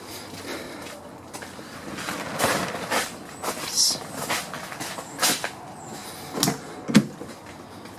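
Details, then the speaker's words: 2004–2010 Toyota Sienna van door swinging open and shut after repair with soft rustles and light taps, no popping: check-strap rod play fixed by replacing the fastener with a thicker screw and nut, about two dollars in parts. "the this door had the same problem but no it's fixed and it cost me basically it was about two dollars in parts of the school rings there and the time that I spent yeah through the process of doing this"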